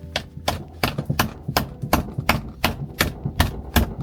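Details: 1974 VW Beetle barn find, sat for years, first attempt to fire it before doing the fuel pump: starter cranks in steady chugs about three per second but never catches. Cranks but will not start; cause not confirmed.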